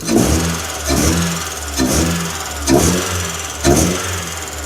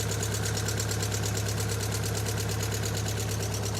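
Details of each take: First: Ford Fiesta XR2i four-cylinder, abandoned about 7 years and run after spark plug work, low on coolant: the engine catches and revs freely with a clean rise and fall, no stumble or shake; it now runs smooth. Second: Ford Fiesta XR2i, sat 7-8 years, lead pulled on one cylinder: lumpy idle pulsing about three a second, no change with it out, so that cylinder isn't firing; owner suspects rusty, poorly connecting coil pack.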